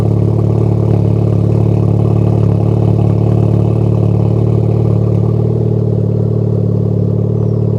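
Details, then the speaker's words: Honda Type R engine with long-unchanged spark plugs, idling: steady idle with a faint uneven stumble and slight shift near the end; mild misfire, also at wide-open throttle, owner suspects the plugs, not confirmed. "I haven't changed the spark plugs in this car in a minute, and the car is misfiring and starting kind of weird."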